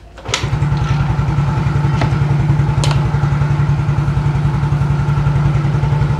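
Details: Older-type Yamaha X-Ride that had been stumbling then dying with MIL code 46 (low supply power to injection), after fitting a new original part: starter catches quickly, then steady even idle with no misses or stalling; normal start and idle.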